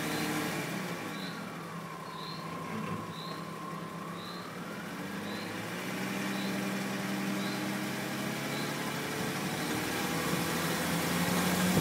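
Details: BMW E46 320i automatic with M54B22 engine, fully warm at about 20°C or more outside: revs climb under load while accelerating or uphill, with a bright, light metallic rattle from the front right. Its source is unknown; the owner suspected the oil pump but doubts it and rules out the wheel bearing.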